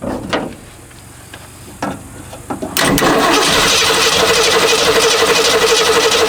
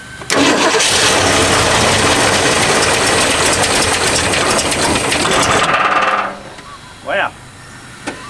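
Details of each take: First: Long-neglected 1969 Mustang coupe: steady starter cranking at about four beats a second that never fires; owner suspects no fuel in the tank or a dead fuel pump, and what may be water was later found in the tank. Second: Long-neglected 1969 Mustang coupe, fuel tank line disconnected due to water in tank, two-stroke mix squirted into carburetor vent: catches almost at once and holds a loud even roar about six seconds before cutting out; starts and runs on primed fuel.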